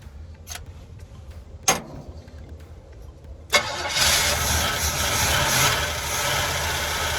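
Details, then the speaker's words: 1981 GMC Sierra half-ton 2WD V8, unknown condition, carbureted with working choke, possibly flooded: catches after sputters, rough idle with light ticking rattle; valve train rattle, owner suspects stuck lifter on passenger side. "Yeah, there's a bit of a rattle there. Could be stuck lifter. I have to pop sounds like it's coming from the passenger side."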